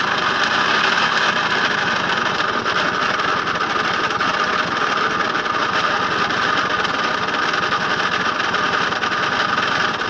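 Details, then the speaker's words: Puch Mini Maxi moped, recently unseized, fuel system reconnected without inline filter, flywheel suspected clattering against coils: loud, harsh, raspy drone with rattly edge, very smoky and steaming; transmission oil suspected; rough running, cause unknown. "very smoky sounds horrible"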